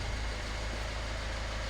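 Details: Peugeot Berlingo diesel van, rebuilt after a timing chain failure, ticking over to warm up with coolant in: even, steady idle with a soft regular chug and no knocks or misses; runs smoothly.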